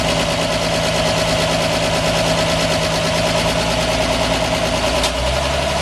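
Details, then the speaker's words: 1946 Chevy 2-ton cab-over, 235 inline six, first start in years after head rebuild fixing two stuck exhaust valves: smooth, unbroken idle beat with no knocks or misses; normal running. "doesn't seem like it though this thing runs like a dream yeah it does"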